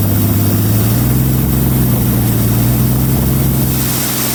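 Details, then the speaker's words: 1933 Auburn V12 Salon Speedster (Lycoming-built V12) at its first run after sitting in a museum since 1966, idle set high because it wouldn't idle, oil pressure just over 40 lb, charging 10 amps: steady, smooth high idle with no knocks or misses. "It's running after many years of being dormant. It sounds pretty good."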